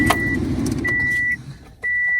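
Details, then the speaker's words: 2006 Subaru WRX after fixing a fuel issue, key cycled before starting: two steady high-pitched electric hums of about half a second with a short gap, fuel returning to the tank; normal fuel pump prime. "So here's how a fuel pump should sound when you turn it on. And you'll hear it return back to the tank. But that sounds good now."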